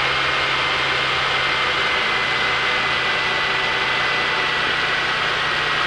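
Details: 1998 Ford Taurus 24-valve, 76k miles, cold idle, hard to start: steady even buzz of unknown source over engine hum, goes away after a few miles; plugs, alternator, serpentine belt, cam and oil pressure sensors recently replaced.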